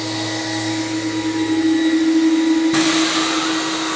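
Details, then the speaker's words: CECOR SD-15 Sump Shark with a battery conversion, running on battery power on the discharge setting to empty its coolant tank into a drum. A steady, even motor whine holds pitch, with airflow rush joining partway through; runs smoothly. "We got it on the discharge setting. Our hose is set up to the discharge area."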